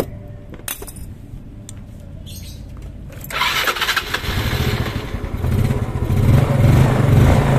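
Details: Old Yamaha Mio scooter after carburetor, choke, fuel vacuum check and new spark plug: starter cranks briefly, engine catches and builds to a steady, even low idle; normal quick start.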